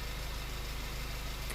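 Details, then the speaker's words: Honda Fit with idle rpm surging and dropping at stops and engine noise: a low, lumpy idle with an uneven, trembling pulse; fuel pressure testing showed two injectors losing pressure and causing misfire, and the catalytic converter is also failed. "O motor é um pouco trêmulo, né? Mostrando a deficiência de 2 injetores, ó."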